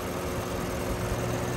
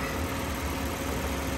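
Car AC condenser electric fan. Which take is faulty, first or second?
first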